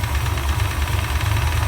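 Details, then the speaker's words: Chevelle idling with the A/C compressor running on a roughly 90°F day, heater core bypassed, vent air only lukewarm: a low, uneven throbbing idle with a loping pulse and some rattle. It runs rough and the cause is unclear. "like the pressures running yes right now it sounds like crap because she's gone"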